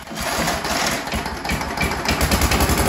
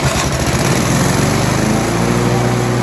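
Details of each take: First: so I hopefully you could say that but basically it doesn't sound like the revs are changing at all from the minimum setting all the way up to the maximum setting Second: Briggs & Stratton 4-stroke on an alloy-bodied lawnmower that had been under-revving, after a governor spring swap: it runs up briskly, then the governor holds a steady, even speed without hunting, a huge improvement.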